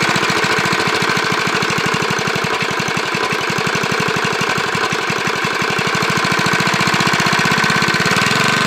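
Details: Briggs lawnmower engine, no blade, running with a JB Weld-epoxied connecting rod journal test repair: light regular knock with each firing stroke; a little rod knock, some wear.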